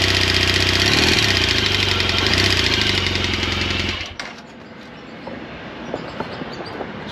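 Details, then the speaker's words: 2016 BMW R1200 GSA boxer engine idling with a loud, sharp valve-train tick: the grooved intake cam lobe doesn't open the intake valve fully, so valve travel is short and it taps. Covered by a BMW service letter for 2013–2019 1200 engines. "so basically that cam is not pushing the intake valve all the way in so the intake valve travels real short because of the groove in the cam and it just is tapping so loud"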